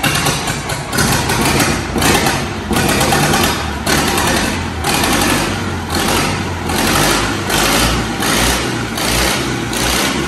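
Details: Replacement diesel in a Caterpillar 215 excavator, idle for nearly 30 years, restarted after more glow heat and run off a funnel for fuel: it catches and settles into a steady, even chugging idle with no knocks or misses, healthy.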